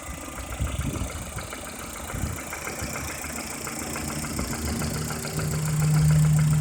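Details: Lada Kalina Cross engine, warm idle. A fairly regular light tapping knock, about four per second, rides over the engine hum. Origin unknown.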